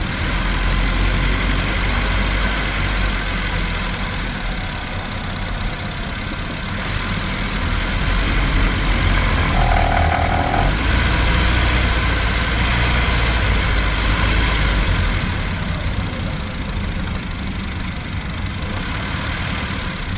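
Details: Honda Civic hatchback (mk9) climbing under load, recorder placed near the engine: a steady petrol engine drone with a fast, uneven rattle riding over it throughout.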